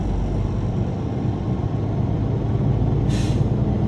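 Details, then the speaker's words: Truck diesel at raised idle of about 1,000 rpm during an air brake inspection, building primary and secondary tanks toward 120–140 psi. One short sharp hiss ("sneeze") as the governor cuts out at 140 psi. Normal governor cutout. "I heard the sneeze, letting me know my governor cutout works at 140 psi."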